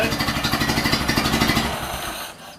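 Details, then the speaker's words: Ford Model A pickup, first run since reassembly, smelling rich and a bit smoky: old four-cylinder pulsing unevenly with lumpy stumbling beat, then settles and smooths out after battery was switched back on. Rough running that clears; cause unconfirmed. "I turned the battery back on when I start dying hope that came back on boom and then by the end there I was running great it smooths out yeah so maybe that's all it was"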